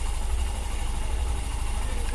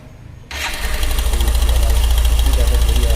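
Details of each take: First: Hero Super Splendor BS6 single-cylinder idling after the timing chain was adjusted by pushing the tensioner down: low, steady thump with an even beat and no ticking or rattle; the earlier timing chain noise is gone. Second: Hero Super Splendor BS6 single-cylinder at idle, before adjustment: light metallic chatter over the low thump, steady with the engine beat; timing chain very slack, to be tightened.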